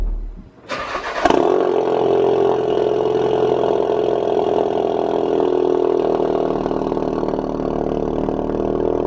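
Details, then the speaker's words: Mk3 Ford Focus RS back after an engine replacement, being bedded in, starting in an echoing garage: starter whirr, then catches and settles into a loud, steady, even fast idle with low rumble; normal cold start. "I hope you like the sound of it. That startup always gets me every morning."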